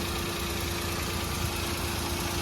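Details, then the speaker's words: Maruti Alto 800 after replacing the cylinder 1 ignition coil to cure misfiring: smooth, even idle with the AC on, no stumble or miss; normal idle. "മാറ്റിയ ശേഷം നമ്മൾക്ക് start ചെയ്തു നോക്കി വണ്ടി perfection ആയിട്ടുണ്ട്"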